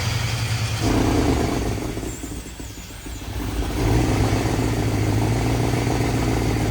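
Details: 1951 Chevy with LS swap at first start-up. Revs rise and drop with a lumpy, uneven low beat at idle. Misfire.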